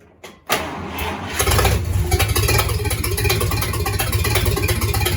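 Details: Rebuilt 1953 Dodge flathead, 228 ci bored to 237 ci, very first start attempt: starter cranks briefly, catches and settles into loud even idle with open-exhaust rumble; healthy.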